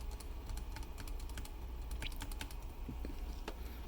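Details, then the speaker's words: Home-built keyboard, original-design shift stabilizer: sharp, uneven clacks with a loose rattly edge on each tap; stab leans and won't stay flat because the stem was too thin at one cross point, fixed in the new design. "let's start with the original stabilizer design which i still have on shift over here you can hear it hear that"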